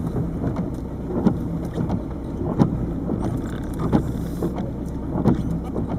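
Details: 1998 Peugeot 306 turbo diesel, 160,000+ miles, pulling hard: dull clunk about every 1.5 seconds over the engine drone, worst pulling off in 1st; owner suspects lower engine mount, unconfirmed. Camera also rattles on dash. Clunk on hard acceleration.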